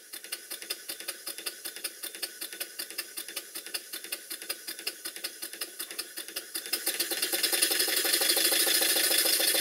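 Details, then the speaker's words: Stuart Number One model steam engine after adjusting the main bearing top caps and reversing lever travel: even beat at about three and a half strokes a second with rising steam hiss, running noticeably smoother. "now having given the bearing top caps some attention you can hear how much smoother the engine is"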